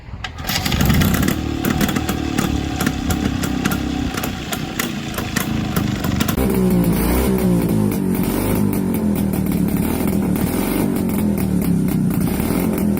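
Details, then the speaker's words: Vintage two-stroke boxer-twin motorcycle from about 70 years ago starting and running: busy, slightly uneven beat; a healthy engine running normally. "The engine sounds really interesting to me. At idle it sounds like a mix of a single cylinder and a twin cylinder engine. Under load, however, it sounds like a single cylinder engine."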